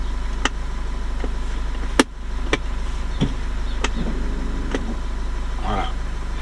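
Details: Renault Koleos automatic idling in park or neutral, wheels chocked, foot on the brake pedal. The electric parking brake is switched off: a few sharp clicks, then a brief whirring buzz as the rear brake motor releases and the LED goes out; normal.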